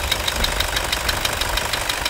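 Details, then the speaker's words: Toyota Hilux 2.5 diesel at idle after an accessory belt repair: a light steady tick about six times a second from an engine noise that began after overheating from a leaking radiator, but no squeal or scraping; the belt drive sounds healthy. "o motor tá com barulho tá um pouquinho mas isso esquece o barulho do motor do barulho da correia desliga Diogão viram que o barulho não faz vai de novo"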